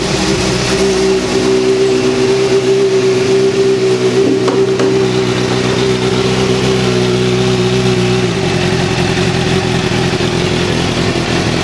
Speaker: i'll show you how the motor is running perfectly now you hear that extra noise that's the secondary throttle bodies it's just essentially over opening as soon as you start the bike it turns right off